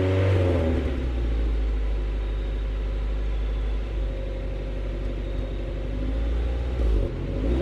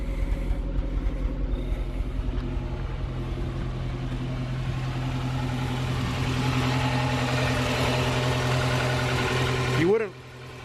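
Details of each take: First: Swapped Honda H22A in 5th-gen Prelude race car, after ignition work on plugs and wires: deep steady note climbing smoothly when revved, no stumble; misfire fixed, faulty valve cover gasket still to repair. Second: Swapped H22A Honda Prelude (5th gen) race car, misfire that appeared during hard track driving, at idle before new plugs and wires: uneven stumbling beat with a dropped pulse every few turns; one cylinder misfiring.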